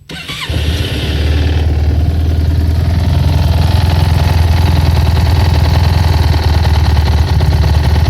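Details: Yamaha T-Max 500 scooter engine knock: fires up and settles into deep throbbing idle with steady rap underneath; source not pinned down.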